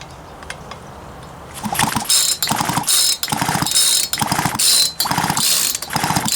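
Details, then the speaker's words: Poulan Pro 222 38cc chainsaw with 16" bar that won't start: repeated pull-cord cranking bursts, rasping and scraping with no firing. Compression is good but there is no spark, and something sounds like it's dragging inside. Multiple issues likely. "So, no spark. And it sounds like something is dragging down in there. So we may have multiple issues."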